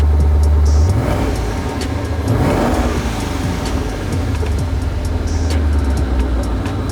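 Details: Twin-turbo Ford Mustang Boss 302 that backfired under boost, during fuel system check with pressure around 55–65 psi: engine catches, idles steadily, revs cleanly and drops back smoothly; no misfire or stumble.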